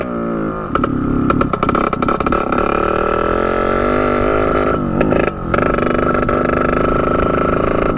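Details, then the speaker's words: 1989 Yamaha YSR 50 two-stroke, long stored, bump-started, ridden at full throttle in gear: stutters and cuts out in bursts near top end; spark problem suspected, new spark plug to be tried. "as you could hear it just breaking up really really bad so I'm not really sure what that could be we're going to pick up a new spark plug and try it again tomorrow"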